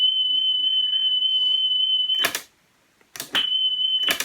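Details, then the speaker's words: National Panasonic RS-612 cassette deck, about 1978, reassembled after service, playing a 3 kHz test-tape tone on the right channel only: a clean, steady beep without wobble, broken by tape clicks; playback speed sounds stable. "still only on the right hand channel but as i said that seems to vary so i'm not really sure what's going on there but we have a nice steady tone three or steady itch"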